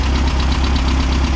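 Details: 1600cc VW dune buggy (air-cooled flat-four) idling after an oil change, all new spark plugs and correcting swapped cylinder 1 and 2 plug wires, in mid-30s°F weather: a steady, even low rumble with a smooth firing rhythm and no misses or knocks. The cylinder 1 misfire is cured, though a low-rpm under-load issue remains.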